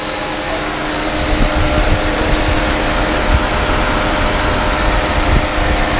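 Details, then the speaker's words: Proton Preve that overheated when stopped, after its radiator fan motor was replaced and coolant topped up, idling with aircon on: steady, even airy rush over a smooth engine with no rattle or scrape. The fan is louder than before and running normally. "Bunyi kipas pun agak lain, berbeza daripada sebelumnya. Sebelumnya bunyi macam tak berapa kuat, tapi lepas kita tukar motor radiator fan baru, bunyi dia agak berbeza."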